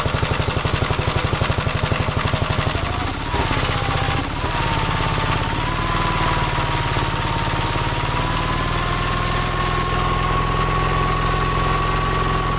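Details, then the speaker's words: Gravely single-cylinder engine, first run after gas tank install and long idle, choke off: thumping surges and sags instead of holding speed; owner suspects throttle rod not tightened properly; some smoke seen, possibly from sitting long or an oil leak. "I don't know what's going on with that maybe I didn't tighten up the throttle straight enough"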